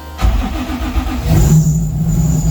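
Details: 1995 Nissan 240SX with built 2JZ-GE (non-VVTi block, VVTi head, aluminum rods) after the reversed coil wiring was corrected to the 1-5-3-6-2-4 firing order: a short crank catches and settles into a steady, even, smooth idle with a low hum.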